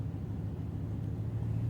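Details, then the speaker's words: Known-good starter pulled from a 2003 Honda Accord, bench-tested for comparison: continuous even low hum with no grinding or dropouts; how a healthy starter should spin. "okay so that's you can hear the continuous motor spin that's how it's supposed to go"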